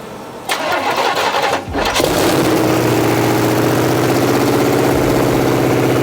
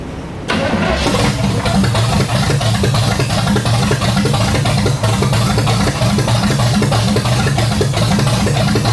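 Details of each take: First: 1986 Chevy C10 with replacement small block 350 V8 first start in decades; brief crank, fires first try, settles into an even but slightly fast idle, some smoke, likely dust. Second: 1986 Chevy C10 with replacement small-block 350, after moving the PCV valve to its correct spot: cranks, catches within a second, settles into a steady, even idle with no misses or knocks. Normal idle.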